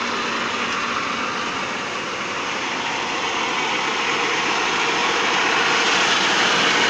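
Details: T-150 tractor diesel after major overhaul: steady even roar building slightly, no knocks or misses; normal healthy running.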